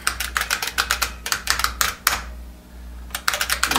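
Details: IBM Model F keyboard, typed on after full disassembly and reassembly. Crisp even clicks with a bright ping on each keystroke, steady rhythm, every key actuating cleanly: normal key click.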